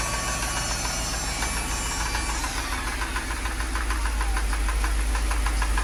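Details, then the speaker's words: Mercedes at idle with battery and check engine lights on: loud, fairly regular knocking about three per second over the running engine; source not located. "god sound like it's coming from this area that sound like the drum line at a football game what is that i can't tell where it's coming from"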